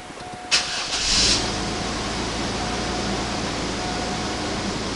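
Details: Oldsmobile Bravada after fuel pump replacement and check engine light reset by pulling the 20 amp computer fuse: brief crank, catches within a second, smooth even idle; starts and runs normally.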